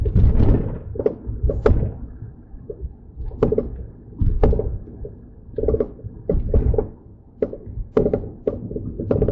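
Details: Mercedes-Benz C300 on a test drive just after front-end work (CV axles, wheel bearings, front brakes), microphone in the back seat: irregular dull thunks every second or so from the rear over cabin drone; something loose, cause not yet found.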